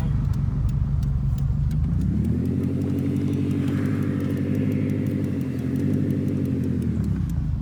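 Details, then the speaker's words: Subaru WRX manual, driven in first gear past 4000 rpm, just over 2285 miles: engine climbs hard, then pull briefly sags and flattens near the top before picking up again; hesitation/lag, otherwise runs well. "okay all right we're going first gear so when you hear that it just lags the ramp"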